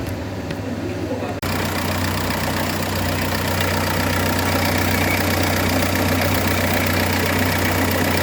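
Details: 2006 Renault Espace 1.9 dCi diesel at idle: a rough, rapid rattling pulse over the low hum from a badly damaged crankshaft damper pulley that is coming apart in two pieces; not safe to drive.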